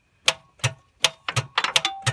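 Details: Holden VT Commodore that won't start: sharp dry clicks, two or three a second, with no cranking while the starter near the transmission is hit with a hammer; a bad starter motor is suspected.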